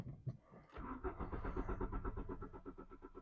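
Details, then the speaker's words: Mk3 VW Golf GTI 8-valve, 115,000 miles, sat about 6 years since 2016, fresh fuel added: even starter cranking with no firing; no start, in-tank electric fuel pump suspected not working. "I don't think I can currently I think we'll call our fail because I don't think the electric fuel pump in the tank in the back is doing what it should do"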